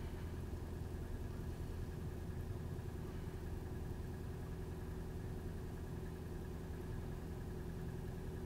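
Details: Nissan March: steady idle with a low, uneven drone and faint irregular roughness underneath, no clear knock or tick; abnormal engine noise at idle, cause unknown.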